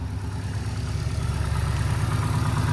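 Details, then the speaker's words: Subaru idling after new OEM STI coil packs and one-step-colder plugs fixed earlier spark breakup and knock: deep, even burble with no misses or stumbles, ignition firing cleanly; normal idle, noticeably smoother than before. "yeah like I said it already sounds smoother so that's a huge"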